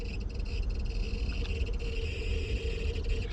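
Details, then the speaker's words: Porsche Cayenne, ignition on with parking lights: cabin blower fan whirs steadily with a faint repeating high squeak, a known recurring Cayenne blower problem. "ce petit bruit alors je sais pas si vous vous rendez bien compte à la caméra mais ce petit bruit qui qui qui qui voilà qui juste horrible quand vous conduisez pendant des kilomètres et des kilomètres dans la porsche cayenne qui est confortable puissant mais vous avez ce de bruit de ventilateurs d'habitat qui couine"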